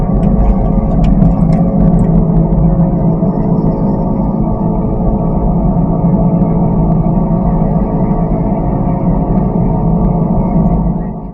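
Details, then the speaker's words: Daihatsu Xenia on the Cipali toll road after suspension work: a loud, steady droning roar from under the car at road speed, like a Twin Otter propeller plane, caused by a failing wheel bearing. "Ada suara yang mirip dengan suara pesawat twinter kayak gini di gerung."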